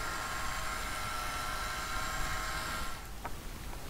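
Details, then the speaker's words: Celestron telescope focus drive motor unit: a thin steady whine that keeps running with no commands sent, about 90 seconds on, then cuts off abruptly when disconnected. The focus motor runs away on its own. "okay so the focus unit was still driving it kind of run away and it wasn't down to any commands I was sending to it and that's what it tends to do"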